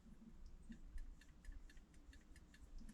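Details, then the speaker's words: Rheem furnace on a no-heat call: quick light clicks about four per second over a low furnace rumble. The stuck pressure switch is chattering on and off; gently exercising it restored operation, but replacement is recommended. "You hear that clicking? Mm-hmm. That's the switch activating and deactivating."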